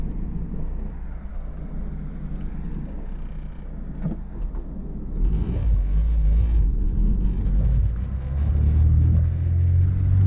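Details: Honda S2000 driving after oil-soaked spark plug wells fixed, cured high-rpm misfire: deep, even engine note climbing smoothly as it pulls, no stumble or popping, clean through the rev range; normal acceleration.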